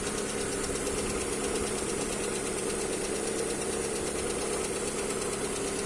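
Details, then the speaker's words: Lada Priora: light ticking, about two per second, over a steady idle, like a clock's second hand; it stops as the engine warms. Engine ticking at idle. "как будто стрелка секундная тик-так тик-тик бегает"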